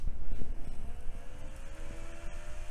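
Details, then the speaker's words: Compaq system CPU heatsink fan after oiling its noisy bearing with a drop of 3-in-1 oil: soft whir, faint tones settling steadily, no scraping or rattle; bearing now running smooth and quiet. "sounds better already now clean off the excess with some IPA and then seal it up with some Captain tape"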